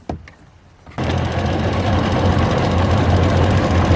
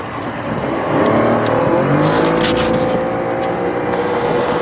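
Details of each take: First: Tohatsu two-stroke outboard after cleaning the dirty primary fuel filter and draining the carburetor float bowls: start-up burst then steady even idle, all cylinders firing with no misses; later reached 29 mph. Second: Tohatsu two-stroke outboard, warmed up, at or near full throttle: high steady drone turns ragged as a cylinder stops firing; idles and trolls fine but then dies; first thought electrical, actually a dirty fuel filter.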